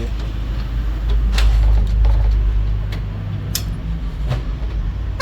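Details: Splendor motorcycle engine running with cover opened: low steady beat with a faint irregular tick on top; abnormal engine noise, cause not yet clear.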